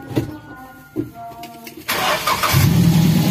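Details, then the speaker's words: Daihatsu Gran Max after the clogged catalytic converter was dealt with: catches after a couple of cranks and settles into a steady, even low idle, a clean normal start. RPM still tends to hang. "Suaranya benar-benar berbeda. Lancar, kan?"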